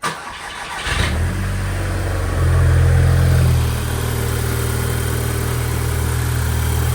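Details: MK5 VW GTI 2.0T FSI, first start after cam follower replacement: short crank, quick catch with a brief rev flare, then an even, steady idle with no misses or ticking. Healthy start, no fuel leaks.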